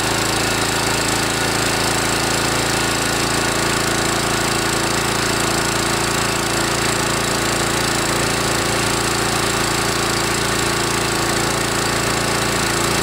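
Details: DR TR1 walk-behind trimmer with a Kawasaki FC150V 6.75 hp engine, warmed up after a carburetor cleaning for a plugged main jet: a steady, loud, even single-cylinder roar held at high speed with no surging or misfire. It runs clean and healthy.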